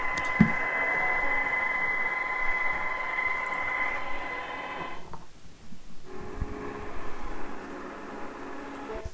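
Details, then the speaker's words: Sangean ATS-909X2 receiver on shortwave: steady high whistle over constant hiss, then a lower hum, unchanged by bandwidth and across bands; internal noise in receiver, suspected internal feedback, not confirmed. "saying gn has that noise problem sounds like some kind of internal feedback on across the bands on shortwave not good"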